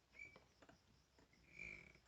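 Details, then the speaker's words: Dirt bike: two thin, high squeaks as the handlebars swing, from worn steering head bearings causing a tight spot in the steering. "hear that squeaking well you can't feel but i can when i ride it there's a tight spot"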